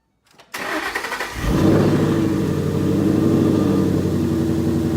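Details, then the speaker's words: 2011 Ford Mustang GT 5.0 Coyote V8 with Roush exhaust, first start in the garage after replacing all rod bearings (King CR868SI), TTY rod bolts and adding 5W-30: brief crank, catches, smooth even idle; previous tick and knock gone. "here is the footage of the first fire once I turned it over"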